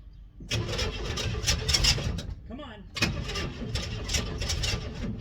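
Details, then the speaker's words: 1964 Chevelle Malibu 230 inline-six, first start after 34 years. Starter churns with ragged, irregular coughs and brief catches but never settles to an idle. Owner suspects the ignition coil failed, as it is gushing weird fluid. "I hate to leave you guys on a cliffhanger getting that close to getting it running, but I'm pretty sure my coil has just crapped the bed."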